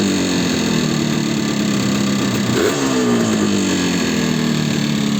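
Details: Yamaha RD350 two-stroke as acquired, before its rebuild: a ringing note rises with a throttle blip, then settles to idle with a rattly edge. Horrendous piston slap.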